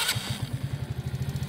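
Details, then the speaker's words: Kazuma Meerkat 50cc ATV cold start on choke, governor screw backed out: quick starter burst, catches right away, settles into even steady low putter, choke then turned off; normal cold start. "then that's all she wrote fires right up give it a few seconds to warm up turn the choke down there chokes off"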